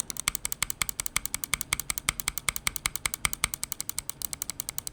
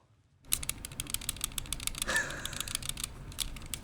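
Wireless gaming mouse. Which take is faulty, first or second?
second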